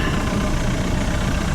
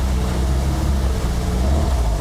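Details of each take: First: 1974 tri-hull boat with a Mercruiser 3.0 idling at 900 rpm out of gear with a steady, even rumble and no misses; it stumbles and pops around 2000 rpm and won't plane. Timing was checked at about 6 degrees. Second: 1974 VIP 15-foot tri-hull runabout with Mercruiser 3.0, after new Pertronix coil and distributor module; in gear near 2000 rpm the drone sags, stumbles and pops and won't get on plane; idle is fine; timing checked next, cause not pinned down.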